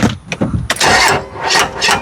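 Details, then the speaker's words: 1995 12-valve Cummins P-pump diesel in a dually truck, long parked, cold start on starting fluid: uneven coughing bursts with sharp knocks over rough firing before settling; knocking dismissed as normal, cause unconfirmed. "Did it? That knocking? That's just letting you know it's there, bud. That's all it's doing."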